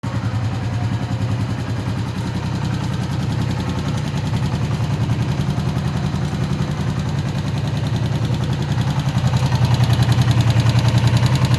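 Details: Honda CB125F single at idle, knocking after warming up; a steady knock about three or four per second that builds slightly as revs rise, source unknown.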